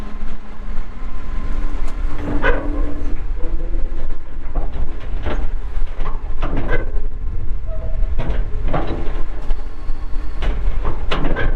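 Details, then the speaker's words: 2014 Kawasaki 65TMV wheel loader, pre-emissions Isuzu diesel, 149 hp, 7,671 hours; deep, steady diesel rumble with occasional machine clanks, no knocking or missing; starts and runs good, normal diesel running. "Isuzu diesel engine it's got brand new tires all the way around air ride seat radio 149 horsepower 7,671 hours starts up good runs good"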